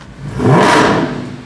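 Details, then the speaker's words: Mercedes C63 V8 after a DIY cam phaser rebuild: quick clean blip rising and falling smoothly, no knock, miss or rattle; running a little rich, tune needs adjusting, otherwise healthy. "ohoo she's running a little Rich we're going to have to adjust the tune on this bad boy but she sounds good"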